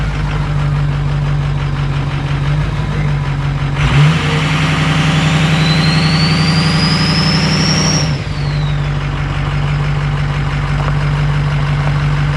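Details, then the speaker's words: 2005 Ford 6.0 diesel single-cab truck that sat for years, with a cylinder 8 contribution fault and misfire: uneven, lumpy idle with a dropped pulse. Noise seems to come from the crankcase side, and the rings are suspected toast from low compression. "it definitely sounds like it's coming from the crank case side of things um which is you know what we expected and pretty certain the Rings are toast"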